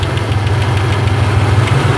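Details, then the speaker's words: 1997 Ford Explorer 4.0L that ran rich from MAF fault (P0172/P0175): steady low idle with a faint quick tick and slight miss on vacuum gauge; minor engine tick, cause not pinned down; possible catalytic converter damage from rich running. "um little engine tick there but something to make Pete aware of is you know how long has this thing been running this Rich"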